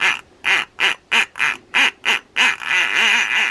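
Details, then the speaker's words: Penn 1220 reel with leather drag, turned by hand: loud rhythmic squawks, about three a second, like a New Year's noisemaker, not from the non-gear side and not the clicker; cause still unknown. "like a party or a New Year's Eve kind of noisemaker doesn't it and it's not coming from the um the non-gear side"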